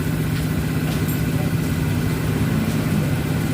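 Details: Honda Vario 110 after a non-original electrical part was replaced with an original one. It now starts with one kick even without a battery, and settles to a steady low putter with no misses or hunting: a normal idle.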